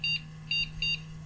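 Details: Flea-market PC that did not detect its graphics card, after cleaning the PCIe contacts: three short high beeps over a steady low fan hum, no longer noisy, and the board posts normally.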